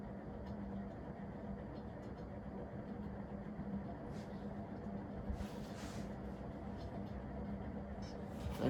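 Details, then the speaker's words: Industrial ceiling fan in worse shape than its pair, steady low motor hum with a rough gritty rustle; worn, scratchy bearings that make the whole fan vibrate at high speed. "here's high speed bearings are so scratchy kind of vibrates the whole fan"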